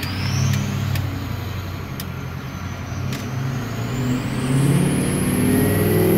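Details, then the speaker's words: Ford F250 6.0 diesel, 4WD, Power Max tune, straight-pipe 4-inch turbo-back exhaust, heard from the cab with the window cracked on a road test: deep diesel rumble under a clear high whistle climbing in pitch as the truck pulls, a healthy turbo. "Everything isn't totally closed shut, but it works. Or crack the window so you hear the turbo."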